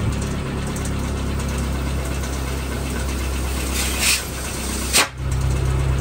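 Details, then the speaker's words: Renault Twingo, exhaust tailpipe blocked to check for leaks: the idle holds steady as pressure builds, with no hiss or whistle, then a soft puff on release. Exhaust is sealed, no leak. "Alors un truc simple pour contrôler s'il y a des fuites au niveau de l'échappement, c'est tout simplement de venir ici, boucher le bout. Et la pression doit augmenter et on ne doit pas entendre siffler."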